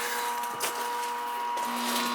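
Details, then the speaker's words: R22 Ruud home AC unit not cooling: steady electrical hum with no spin-up as the compressor tries to start; failed run capacitor. "the capacity is bad you can hear it trying to start"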